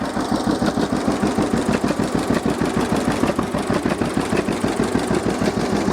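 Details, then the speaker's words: 1950 John Deere GW two-cylinder tractor (live hydraulics, Char-Lynn power steering, Baker Valve) idling in neutral after starting; slow, even putt-putt about three beats a second, steady and unlabored: normal healthy idle. "so this is good running old g let's check it out a little bit just listen to it and i'll show you around"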